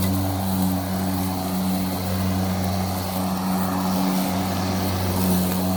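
Steady even motor hum with a constant low tone and no cutting out over six seconds; mower running normally.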